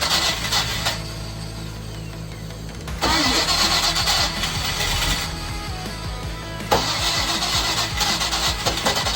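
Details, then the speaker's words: 1995 Silverton 31-foot yacht, MerCruiser 305 with water found in the engine, cranked after oil removal and fuel pumped down: starter churns about three turns a second with brief stumbling catches, never runs; crank no start, cause unconfirmed. "All right, guys. So, it's not looking like it's going to work. Um, but what I am seeing right here is I'm seeing a little bit of life in the engine."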